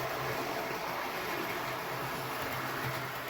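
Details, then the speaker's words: Hornby Intercity 125 model train, bought as a non-runner, running after repair on a small tabletop track with lights working: steady, even hum and rolling rush, no knocks or catches; motor runs smoothly. "So pleased it's running and working okay. Wouldn't want to run it much faster than this on this little tiny tabletop track, because I think it would just come flying off."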